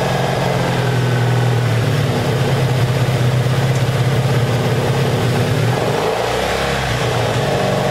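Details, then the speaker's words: 1984 Honda Saber VF700S V4 after long storage, airbox off: steady, even, low putter at idle with no knocks or misses, a small throttle change near the end; sounds good, though it should run better with the airbox fitted for carburetor back pressure. "plus i think it'll run better when you hook up the air box because it puts more back pressure on the carburetors but she sounds good though"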